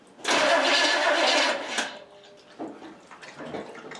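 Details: 1967 Pontiac Firebird with a Chevy 350 engine, first start attempt after sitting 25 years, fuel poured in the carburetor; strong steady starter whirr for about a second and a half, engine cranks but never fires, battery good.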